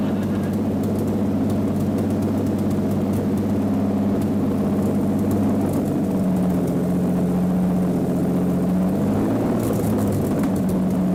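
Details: Mercedes V12 swapped into a Lamborghini replica, running for the first time after its four ECUs were sorted: a deep, steady multi-cylinder drone with no misses or knocks, shooting flames and popping; normal running.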